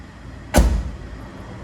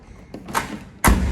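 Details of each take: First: Hyundai HB20 door after a cheap temporary fix, the latch lubricated with WD-40: several single solid thuds, no rattle or second clack; closes better, latch replacement still ideal. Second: Hyundai HB20 door: soft thud then heavy hollow clunk as the door fails to close properly and rattles; worn, loose latch catch.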